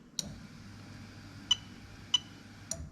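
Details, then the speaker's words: Lexus LS430 3UZ-FE VVT-i engine with newly built harness, ECU inside, manual gearbox: OBD2 active test switching the fuel pump relay gives four crisp clicks about half a second apart; relay and fuel pump working normally. "so as i click this button i'm going to keep quiet you should hear the relay clicking so as i click it"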